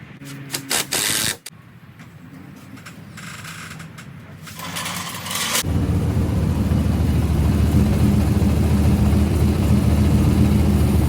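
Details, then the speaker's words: Nissan 240SX with turbo LS3 V8 after swapping from an NA cam to a Texas Speed stage 3 turbo camshaft: catches and settles into a deep, even run with no ticks or knocks; no more of the earlier funny noises. "I got the new turbo camshaft installed. Sounds good. No more funny noises."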